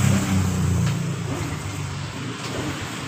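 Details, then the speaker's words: Honda Revo FI, hard to start cold or hot, hesitant and weak, no fault code: engine catches with uneven stumbling pulses then sags and fades; fuel flow restricted, weak fuel pump suspected, pressure checked next. "seperti itu pertanda tekanan atau bensin di motor ini masih terhambat dan coba kita engkol terlebih dahulu untuk memastikan brebet atau susah hidupnya"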